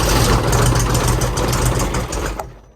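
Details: Mid-1980s Kubota B7200 3-cylinder diesel on a cold start at about 15°F: a deep rumble catches for a couple of seconds, then fades and dies. The owner suspects a bad glow plug and possibly gelled fuel.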